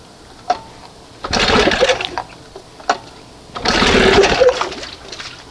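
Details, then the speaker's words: 1971 Johnson 20 HP outboard with a persistent high idle despite several carb swaps, now on a smaller carb matching the original; lumpy, uneven note with ragged bursts and gaps: running on one cylinder (condenser replaced previously). "See, you hear that? That's just one cylinder."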